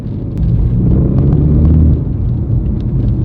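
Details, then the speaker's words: BMW 330e G20 with aftermarket Alibaba valved backbox, cold morning, driving near 2000 rpm, worst letting off the brake: deep uneven low drone under engine note; exhaust vibration, owner suspects mounts, unconfirmed. "It used to be the worst when you're letting off the brake a little bit. So for example, but once you go to like around 2K, you can hear it."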